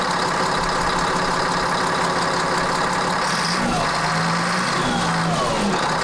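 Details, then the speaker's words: CAT 3306 diesel newly swapped into a Cat 972G payloader, first start: a steady, even idle with a clean low beat and no knocks or misses. The engine sounds healthy. "yeah it sounds good it sounds really good there we go"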